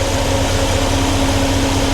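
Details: 1993 GMC Sierra C1500 with new Delta Current Control driving a 2-speed 1994 Ford Taurus cooling fan: steady low hum, soft even pulsing whoosh, no rattle or labouring, wiring not heating up. Normal low-speed fan operation.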